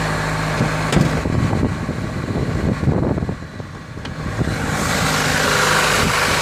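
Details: Opel Ecotec 2.0 XEV engine suddenly began knocking; rough idle with irregular sharp knocks of uneven spacing over the engine hum; cause unknown.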